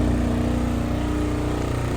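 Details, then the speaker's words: 2005 Honda S2000 at idle: steady petrol idle with a fine buzzy rattle on the firing beat from billet (stiff) motor mounts fitted a few years ago; cabin vibration up, throttle response better; owner can fix it once the bumper is off. "if you hear that rattling it's because the car has Billet motor mounts that I put in a few years ago so it did stiffen up the idle um vibrations in the cabin for sure"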